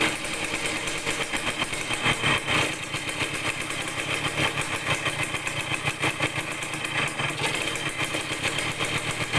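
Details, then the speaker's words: Yamaha DT100 two-stroke after the exhaust header leak was fixed: raspy, choppy running that surges and won't rev out cleanly; poor throttle response, carburettor air screw then retuned, which improved acceleration. "รู้สึกว่าเร่งมันไม่ออกเร่งแล้วไม่ออกนะครับ"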